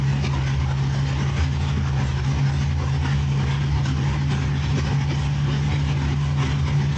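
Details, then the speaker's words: Cadillac CTS-V V8 after repair of a water-intrusion bent rod and broken piston: deep, even idle with steady low hum and no knocks or ticks; runs well with good oil pressure and no coolant leaks. "Sounds like it's running good, has fantastic oil pressure. So all in all, I think this is a win."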